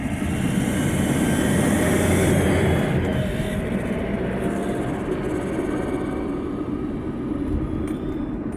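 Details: 2007 Toyota Hilux 2KD diesel after a timing belt and alternator belt change, driving: under road and engine rumble a thin whistle rises with throttle near mid revs, intermittent and first suspected at the intake; cause is a leaking turbo outlet gasket.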